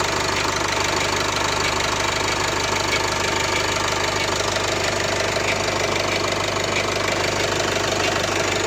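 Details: Nissan M9R diesel, cold start: sharp regular tapping about three per second over the idle, disappearing once the engine warms up; foreign knock of unknown source.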